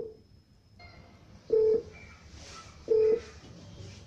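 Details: Two short, steady low-pitched beeps about 1.5 s apart from a Technosat T 888 Plus Ultra decoder used as a satellite finder while aiming a dish at Intelsat 20: low-tone beep means no satellite lock.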